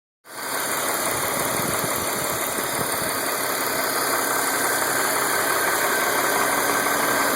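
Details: 2005 BMW 325i E46 M54 petrol engine idling with a faint, fairly regular light tick about three a second under steady hiss; owner recently noticed tapping/knocking, cause unknown.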